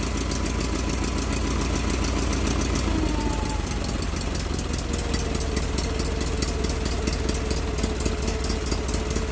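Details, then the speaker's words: Case Ingersoll 4016 tractor, Onan P216G twin, first run after Nikki 6100 carburetor rebuild: even, regular beat with no misfires or knocks; runs smooth, idling slightly slow, needs idle-speed adjustment. "It does seem to idle a little bit low, so I'm going to adjust that and play with it, but it runs smooth."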